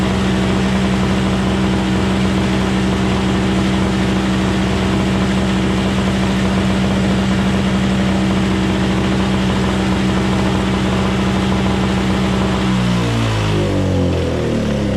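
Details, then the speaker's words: Craftsman 21" single-stage snowblower, 5hp two-stroke Tecumseh engine, older machine, after carburetor cleaning and tune-up, started on electric start: steady even two-stroke drone at one speed, then smooth wind-down at shutoff; running normally. "well ladies and gentlemen there you have it we got it running in no time flat I mean that was a quick quick tune-up on this thing"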